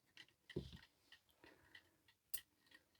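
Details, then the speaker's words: 1930s Garrard English mantel clock being serviced, running after a relative's stray wire was removed from the movement: light, even ticks a little over two per second amid handling clatter. In beat and running well. "okay let's remove the pendulum this time and certainly running well"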